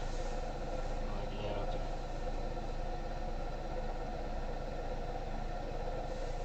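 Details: Engine idling with a steady rough whirring hum and a faint tone over it: the alternator bearing is noisy and worn, signalling it will soon seize.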